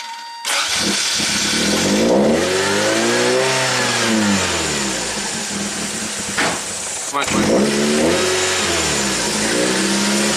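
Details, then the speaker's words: 1987 Toyota MR2, hot stalling complaint, scope on air flow meter: catches, revs unevenly and surges, stumbling as speed sags, then dies; switch went high, cause still unconfirmed. "jeez really doesn't want to stay running and the switch went High"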